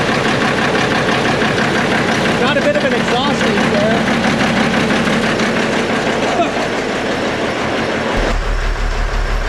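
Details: Peterbilt cabover diesel "Kenny", first run after setting the injectors and valves, smoky and not yet warm: steady idle clatter with a sharp puffing tick on each firing pulse, about three a second; an exhaust leak.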